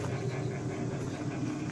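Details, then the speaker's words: 1950s Wizard Citation wringer washer, small water leak noted, agitator switched on: steady, even low motor hum with no knocking, grinding or surging; agitator works well. "Here's how you turn the agitator on. Agitator works well, and"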